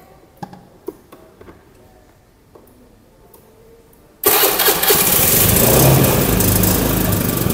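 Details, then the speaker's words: Honda motorcycle during an ignition-system check with a peak voltage adapter fitted to the multitester. A few light clicks, then the engine catches at once and settles into a steady, even idle with no misses. "Setelah PVA terpasang, langkah selanjutnya adalah menyalakan mesin. Kita nyalakan dulu mesinnya."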